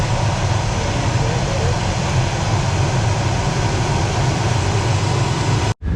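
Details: New replacement heater blower motor just installed in a 1995 Chevy K3500 dually 454 (OBS) and tested: a steady, even whoosh with a low rumble and no ticking, scraping or wobble; it runs smoothly.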